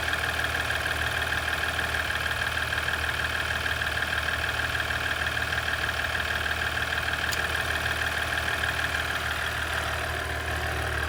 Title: 2017 Ecodiesel Clicking Noise